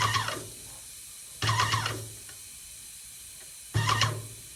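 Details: Yokiji 120 paint sprayer tested after repair: three short bursts of spray hiss over low pump hum, cutting off cleanly; spraying normally.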